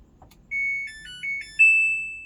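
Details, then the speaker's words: Samsung Ecobubble washing machine with replacement front control board: short bright rising power-on tune plays cleanly at switch-on, the board working normally after the random-pause, 3C and UC error fault. "okay it does work it is working yeah everything seems to be good"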